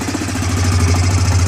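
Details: Yamaha motorcycle showing code 12 (crankshaft position sensor) with dead starter, started by jumping the starter relay terminals: strong steady low drone, even beat, no misses; idling smoothly, code 12 clears, so sensor not at fault.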